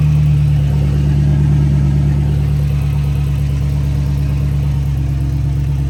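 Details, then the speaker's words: 5.7 Hemi (Dodge Charger/Chrysler 300) after resurfacing the warped passenger-side exhaust manifold and replacing the gasket: smooth, even low idle with a steady deep rumble, no ticking or puffing at the manifold; no exhaust leak. "I'm gonna make sure all the sensors are plugged in, and then I'm gonna start it up and check for leaks. Sounds good so far."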